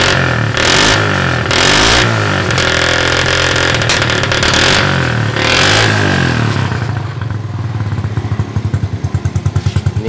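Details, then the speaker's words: Mocin/Supra motorcycle just after replacing the faulty ignition coil (spool) that gave no spark: revs up strongly, then drops to a lumpy idle with small uneven exhaust pops. The carburetor still needs adjusting. "menyetel di karbunya saja, ada letupan-letupan kecil di knalpot."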